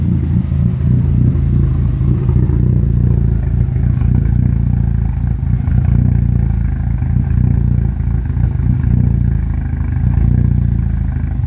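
Low, heavy idle with an uneven, lumpy beat and some clatter on top; the engine is idling rough, cause not evident.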